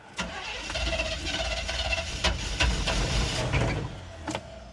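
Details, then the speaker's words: 1975 Chevrolet C20 squarebody with a new, undialed aftermarket Quadrajet carburetor: cranks, catches, then runs ragged with uneven surges, stumbling and bogging instead of settling to a clean idle. Owner suspects the air cleaner or timing. "just had to brag about that carburetor didn't I maybe the Amazon bog doesn't like the air cleaner"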